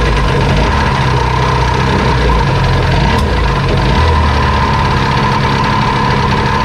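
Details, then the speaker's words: Jet ski (2001 Yamaha WaveRunner LX800 or 1996 Sea-Doo GTX) unrun for years, first start after plugs reinstalled, on choke: a loud, steady, buzzing two-stroke run with an even beat; it fires readily but won't keep running. "wow that thing cranked right up all right let's try that again didn't stay running though that's with the choke on now"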